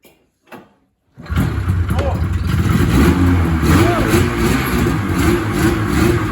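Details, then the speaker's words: 1980 Ski-Doo Blizzard 5500 two-stroke snowmobile: catches after a pause and runs rough and uneven at low revs, burbling like it wants to die; won't hold idle, shuts itself off. "I just pulled up to take this video, didn't even have to shut it off with the key. It won't idle, it just shuts itself off."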